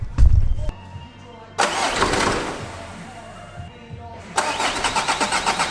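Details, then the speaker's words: Audi diesel (PD, tandem pump) first start after new flywheel, clutch kit and main seal; starter cranks, brief cough (owner attributes to disturbed tandem pump fuel), then even rattly diesel clatter with steady beat, no flywheel rattle — normal idle. "But you should hear a nice rattly diesel engine rather than a nice rattly flywheel. Hopefully."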